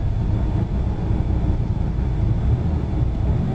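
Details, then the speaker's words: 1993 Buick LeSabre that sat a long time, revved to about 6,000 rpm with no limiter: steady deep rumble settling after hard revving, no knocking; heavy smoke, cause not yet known. "Oh yeah, this one will let me rev it up. It doesn't have a limiter on it. Oh boy, I'm blowing smoke like nobody's business."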